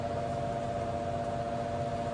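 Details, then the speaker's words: Fan: steady whir with fixed thin whine that never changes pitch, noisier than comparable fans; speeds up when air is restricted, cause unclear. Noisy fan. "you hear that I mean I know it's not really noisy but I've got a couple of fans at home that are much quieter than that"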